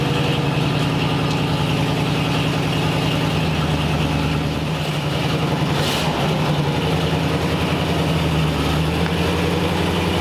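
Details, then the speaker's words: 1940 Ford Tudor V8 after carb repair and exhaust leak patch, tiny pinhole leak remains, carb may need adjusting for back pressure: even, smooth burble at raised cold-choke idle, no ticking or puffing — normal fast cold idle. "all right so got the car pulled outside out in the open and has a tiny tiny little exhaust leak probably a little pin hole that we didn't hit but actually now it's outside sounds pretty good it's not bad at all so I would say that's a win"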